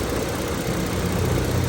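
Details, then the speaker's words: Lincoln MKS (2007-2010 Ford Edge/MKS platform) with a hard brake pedal and shaking at idle: low, uneven, lumpy idle with a vacuum leak heard at the brake booster, which is bad and needs replacing. "and then see he's leaking back there that thing is leaking so bad you can hear it that's why he's idling rough because there's a vacuum lick also"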